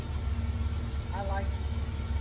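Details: 1954 GMC COE, timing just set to 8 degrees with new spark plugs: low, steady idle with an even, regular pulse and no stumbles or misfires; engine healthy.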